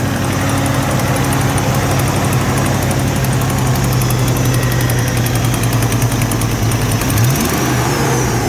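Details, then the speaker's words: Supercharged 1991 Ford Mustang 5.0L V8 Fox Body, heard at the tailpipe with moisture coming out; uneven, stumbling exhaust beat; misfire plus exhaust leak suspected, possibly internal engine problem, not confirmed. "estly man it sounds like a misfire in an exhaust leak you might not have much wrong with it"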